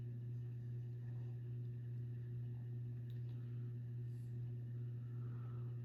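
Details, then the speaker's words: Kmart-labeled SMC U-42 42-inch ceiling fan, circa 1990, on medium about 150 RPM: steady low hum with faint whirring on top; typical motor hum plus mild bearing noise. "these are not dead silent. Has an audible motor hum there. And it does have bearing noise, which is typical."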